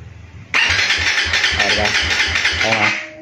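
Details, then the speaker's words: Suzuki Raider FI 150 right after an ECU reset, push-button start: the starter whirs with about four even compression pulses a second for over two seconds, but the engine never catches. Hard starting is expected after the reset. "So pag nagpindot ka ng push button is hindi talaga siya aandar ng agad-agad. Kasi nga nag-refresh tayo, nag-reset tayo ng ECU sensor."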